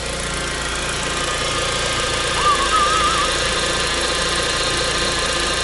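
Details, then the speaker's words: VW at idle, out of gear, just after topping up a power steering reservoir that had run dry: faint wavering whine over the idle as the pump draws air, before bleeding by turning the wheel. "you hear that noise that's the sound of air in the power steering system"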